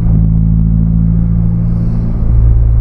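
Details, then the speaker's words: Nissan Sentra B14 on highway road test, heard inside the cabin, after the earlier grinding noise (A/C compressor bearing suspected) was fixed: steady low, even hum, no grinding or knocking; smooth and quiet. "Wala na siyang ingay. Yung ingay na narinig nyo nung kahapon sa vlog ko na parang may ginigiling, eh wala na, tahimik na siya mga kabiyahe."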